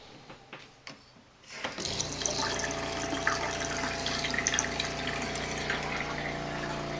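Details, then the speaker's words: RV fresh-water pump running, heard inside the closed RV before a silencing kit and accumulator tank are fitted. A steady droning hum with a buzzy edge, loud throughout the cabin. "pretty loud all the way around no matter where you're at in the RV"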